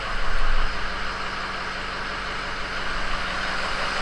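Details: 6.0 diesel truck after alternator replacement, battery light out: steady low diesel idle with even clatter and no misses; normal idle.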